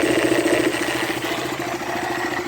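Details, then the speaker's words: KTM motorcycle single at idle: light metallic chatter on each beat from the magneto (stator) side cover; the noise was loose cover screws, found when the cover was removed. "Aí, ó, esse era o barulho. Os parafusos soltos."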